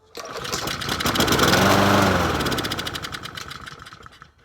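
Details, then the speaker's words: Free-find Troy-Bilt self-propelled mower with a Honda GCV160 engine, choke on, pulled to see if it runs. Catches on one pull, revs up smoothly for about three seconds, then dies. Brief start with no gas in it. "that actually didn't sound too bad not bad blew everything everywhere"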